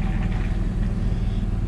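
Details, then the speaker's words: Onan 5500W generator in a 2015 Forest River Georgetown motorhome (10K miles, likely long parked), just fitted with a new carburetor after the old one ran poorly; even, steady low drone with no misses, surges or knocks, running nice and smooth. "it's certainly running nice and smooth"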